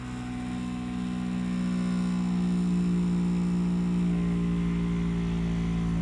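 A loud, steady low droning hum with a strong tone near 180 Hz runs throughout, far too heavy for a healthy air conditioner. Cause suspected, not confirmed.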